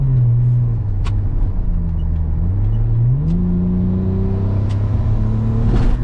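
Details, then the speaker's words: GS Turbo with automatic transmission: engine drone steps down through clean upshifts from second to third, then climbs and holds one pitch. Won't shift into fourth, even manually. "so you see here like chiny still shifts fine right there second gear Shi to third try to Shi to Fourth manually doesn't do nothing there's no fourth gear"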